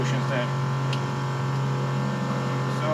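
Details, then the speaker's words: Sailboat watermaker running normally after an at-sea repair, past the air-purge startup and now under pressure: steady low pump drone with an occasional light tick as the shift valve reverses the cylinders at end of stroke. "Ticking sound you can hear is when the cylinder change direction."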